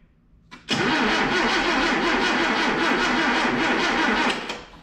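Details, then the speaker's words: 1977 Datsun B210 first crank after cleaning up fuel and ignition systems and sorting a tinkered-with ignition switch; starter spins the engine at a quick, even rhythm for about three and a half seconds with no drag or grinding, a normal healthy starter crank. "hey wo it cranks dude that's awesome I don't know it sounds like a healthy crank to me"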